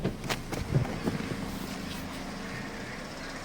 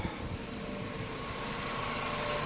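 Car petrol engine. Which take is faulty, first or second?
first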